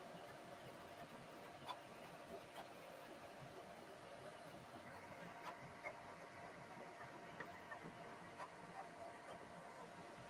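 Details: Qidi Tech X-Plus 3 3D printer printing its first fast benchy with the chamber heater off: a quiet steady fan hiss with faint clicks and whirs from fast head moves, normal printing.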